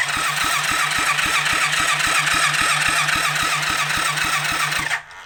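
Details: Rebuilt kids' 110cc quad on electric start: cranks at about four even beats a second for five seconds, never catching; spark plug found dry, fuel blocked by the new gasket whose middle was never cut out.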